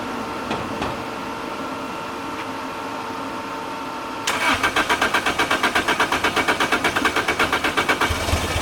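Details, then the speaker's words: 2006 Lotus Elise with 2ZZ turbo engine and six-speed manual, new plugs, coil packs, fuel pump and fuses checked; starter chugs steadily for several seconds without catching. Crank, no start; owner suspects the tune. "so [Music] uh so so car cranks um as you guys saw i just went through all the fuses for the ninth thousandths time"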